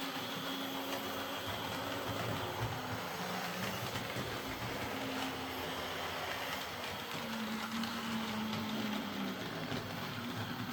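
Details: Old Hornby R751 Class 37 model locomotive after repair, with corroded wheels cleaned using a rotary brass brush: steady, even motor hum with light rail rattle and no catching or surging; running smoothly.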